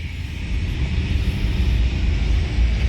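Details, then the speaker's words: 2013 Ford F-150 4x4 after replacing front axle actuators, driving on main road at cruising speed: steady low road rumble, no buzzing hum from front end where noise previously started; axle quiet and healthy. "well guys I do not hear a single noise coming from the front end"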